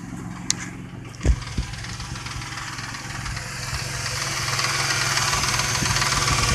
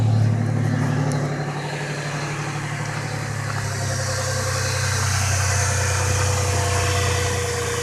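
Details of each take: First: Truck with a tapping sound a friend suspects is the lifters, checked at the half-hour mark before adding Marvel Mystery Oil: starting clunks, then idle with a faint light tick on top; slight lifter tick. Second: Truck at last test startup after a week of Marvel Mystery Oil, before the oil change: steady low idle with an even rumble and no ticking or tapping; the earlier lifter tapping is gone.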